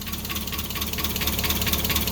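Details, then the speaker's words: Mazda Miata after the supercharger intake install, idle stated as "6,000 6600 rpm", which the owner calls probably a little low: slow, slightly uneven idle with light rattle. Unplugging the IAC changed nothing. "it's running it's idling it's idling at like 6,000 6600 rpm which is probably a little bit low"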